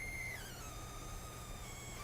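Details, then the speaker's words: 12-inch MacBook with Intel Core M under processor load: faint thin electronic whine sliding down in pitch then climbing back as load shifts; coil whine from power circuitry, loudest among the devices tested so far. "the 12-in MacBook for example this one was definitely the loudest one so far in terms of coil noise which actually makes quite a lot of sense since the Intel Core am does inde draw more power than the mobile Apple a 10 or any 9 or A8"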